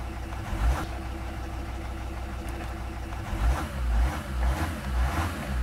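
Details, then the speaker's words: Mercedes with start error after a flat battery affected the immobilizer, cleared by shifting the gear lever to neutral; then starts in neutral and in park, catching and settling into a steady low clatter with a few revs, no misses or knocks. "Когда повернули ключ зажигания, машина завелась. Потом попробовали завести машину, когда рычаг коробки передач был в паркинг позиции, и машина снова завелась."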